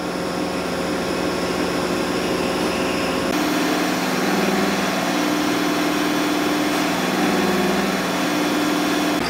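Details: Hydraulic gear motor run as a pump on a test bench under pressure. Steady mechanical drone with an even whine on top and no knocking or grinding. Sounds like any other pump: normal.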